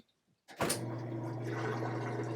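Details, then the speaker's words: Top-load washer after repair of its lid switch, whose actuator had fallen inside, leaving it unable to spin or drain: after a click it settles into a steady low hum with rushing water. Normal spin and drain after the fix. "So now it's plugged in, I'll close the lid. And it's spinning and draining."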